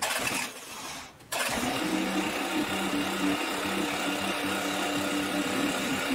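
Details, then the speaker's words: Diesel-swapped John Deere 400 first start: short crank then lumpy idle with uneven knock underneath; not the engine but the shortened homemade driveshaft. "also it was knocking pretty bad it wasn't the motor it was the drive shaft down here that i made since i shortened it"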